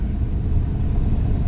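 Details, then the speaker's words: Maruti Suzuki Alto 800 running at about 60 km/h after replacing one faulty wheel bearing: steady, even road rumble with no hum or growl; previously loud noise from 40 km/h, now quiet, bearings healthy. "ये देखो 60 चल गई लेकिन गाड़ी बिल्कुल keep quiet है कोई आवाज"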